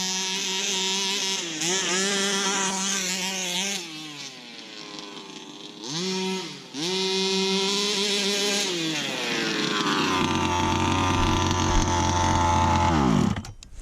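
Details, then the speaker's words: Baja 5B RC car small two-stroke engine with a recharged battery, revving up and down with wavering, stumbling pitch; it won't hold clean high revs. Owner suspects it is losing spark (plug or coil). "You know, listening to it more and more going up and down, I actually think it's throwing away spark."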